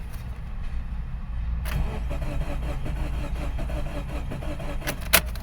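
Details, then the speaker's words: 2013 Subaru Forester SJ, FB16 naturally aspirated engine, that suddenly refused to start: steady starter churning with no firing; the scope shows injector control but no ignition coil current, so fuel is delivered but there is no spark. "and right off the butt would we see we have no coil current we have injector control so from this I am going to conclude that we do not have a problem with compression we are springing fuel but we are not igniting it"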